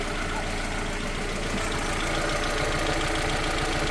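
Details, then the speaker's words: Renault Twingo mk1 idling after catalytic converter replacement (failed cat, codes P0420 and P0136): uneven, choppy puttering with a raspy exhaust edge. No exhaust leaks can be seen, felt or smelled; cause unclear. "okay sounds a bit choppy I don't know whether maybe I'll put a a leap or something but I can't really see any leaks at all"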